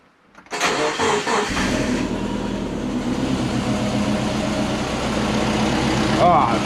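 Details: Freshly rebuilt turbo Subaru Forester boxer engine, first start: cranks, catches and settles into an uneven, lumpy idle with a wavering beat; running rough on first fire, later sounding much better.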